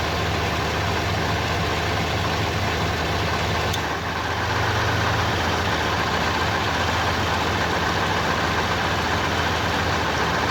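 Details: 1989 Pontiac Firebird 5.0L 305 V8 idling: loose, uneven rattle near the flexplate, louder when the AC kicks in, changing or vanishing when shifting P/R/D/N; flexplate bolts tight, no visible cracks; slight slip-yoke play; cause not found.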